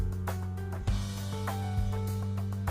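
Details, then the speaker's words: Old 20-inch Polytron CRT TV after repair, which had snored and hissed at first switch-on: music plays clearly through the speaker with steady bass, crisp drums and no buzz; clean audio, no hum. "aman ya tidak ada suara ngorok amander Alhamdulillah"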